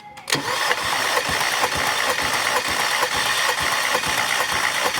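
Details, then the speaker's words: 2010 VW Tiguan 2.0 TSI no-start, timing chain skipped teeth: compression test on cylinder 3, the suspect cylinder, with even starter pulses about twice a second; about 160 psi (11 bar), lower than the others but still within limits. "okay so we have less we have about 160 PSI and uh that's about 11 bar that's pretty pretty good that's still okay that's still within"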